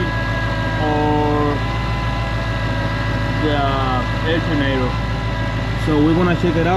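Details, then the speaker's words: 2012 Ford Mustang GT 5.0 with a "Check Charging System" warning; a steady high whine over an even idle in the engine bay, and after the belt, idler and tensioner pulleys were checked, all signs point to a failing alternator. "So, let's go to the engine bay cuz I can hear some noise right now. So, I don't know if you guys can hear that. So, I don't know if it's the idle pulley, the tensioner pulley,"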